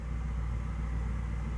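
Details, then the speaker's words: 2005 BMW 645Ci E64 with N62 V8 after repair of a dead misfire on cylinder 3 caused by a melted coil: steady, even idle with a deep low rumble and no stumbles, skips or knocks. "Nice and smooth."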